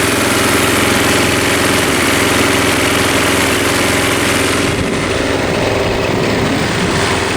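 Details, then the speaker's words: Mountfield M3 lawnmower petrol engine just started after refuelling: steady, even running but revving noticeably high at rest; idle a little fast, owner plans to let it warm a minute before turning it down; a cable appears missing. "Oh yeah. A little fast. Maybe we should let it run for a minute or so before turning it down."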